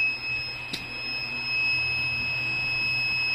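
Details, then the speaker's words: Luminous Eco 1050 inverter: shrill unbroken beep never stops while backup and charging work; buzzer stuck on, traced to faulty 74HC595 IC on the display panel. "लेकिन इस बाजार है हमेशा बजता रहता है। बाजार को देखिए। हमेशा बीप करता रहता है कर रहा है।"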